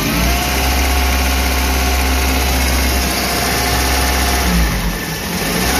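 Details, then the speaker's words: Suzuki New Carry after overheating repair and timing chain install, warm: steady hum then quick throttle blip, revs climb and drop cleanly; responsive, fine around 1500 rpm, only low rpm below 1000 rough. "Jika mesin responsif, hanya putaran mesin rendah (LPM) yang tidak baik. Yang ini agak tinggi, sekitar 1500, kan?"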